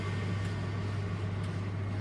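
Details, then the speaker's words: Zanussi ZDE47100W vented tumble dryer on synthetics after replacing the worn belt tensioner pulley and belt; steady even low hum with no squeal, thumping or scraping; drum turning smoothly, normal. "sounds normal you know"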